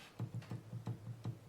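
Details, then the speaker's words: Sequential Circuits Prophet 5 Pratt Read keybed after bus bar cleaning and key contact wire adjustment: light, crisp clicks about every fifth of a second over faint low hum; key contacts meeting bus bar cleanly. "And you should hear a nice little click when it does."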